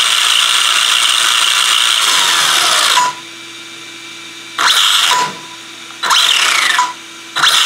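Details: ZD Racing DBX-10 RC car under throttle bursts: harsh rapid ratcheting chatter over motor whine; drivetrain slipping, owner suspects the rear differential.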